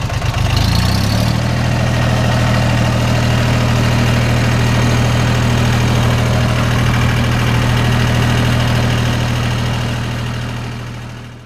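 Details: Jinma diesel tractor that wouldn't turn over, after reconnecting a pulled-loose clutch interconnect: steady, even low diesel idle with a smooth regular beat and no knocks or misses; running healthy.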